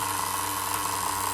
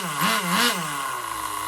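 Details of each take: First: Duratrax Overdrive ST nitro engine rebuilt from spare parts (cut crankshaft, different piston and sleeve, Tamiya carburetor): a high, buzzy idle holding perfectly steady with no surging or stumbling. A normal idle, though slightly lean on top. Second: Rebuilt Duratrax Overdrive ST nitro engine (Velocity .17, single-stage, Tamiya carburetor, different piston and sleeve): two sharp blips then a high, thin steady scream at full revs; needle still slightly lean on the top end.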